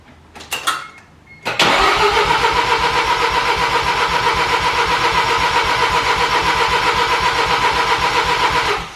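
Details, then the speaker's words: FD Mazda RX-7 rotary engine cranking at about four beats a second, trying to catch but never running. It was flooded: the top two spark plugs poured fuel when removed, so all plugs came out to blow the fuel from the chambers. "uh go again sounded like you wanted to start that time so i took the spark plugs out the top two plugs literally poured fuel out the side so took all the plugs out crank the car over so you can just blow all that fuel out the chambers"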